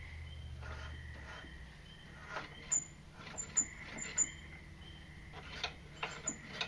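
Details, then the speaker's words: Engine with no spark plug that kept seizing, soaked in PB Blaster and turned by hand with great force: shrill chirping squeaks in short bursts; owner suspects something scored inside the piston/cylinder. "So, just between you and me, I don't think an engine is supposed to sound like somebody squeezing the life out of a canary. So, I'm pretty sure there's something scored on the inside of the piston."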